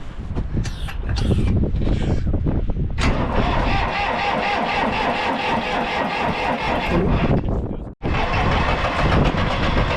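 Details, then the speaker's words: International 454 British three-cylinder diesel tractor that missed when first started, running in neutral with a little throttle and the air filter removed: even, steady clatter on all three cylinders with no skip. Normal idle; a dirty air filter caused the miss. "but it ain't missing. Sounds pretty good, too. Let it idle down. Yeah, you can hear it's hitting on all three."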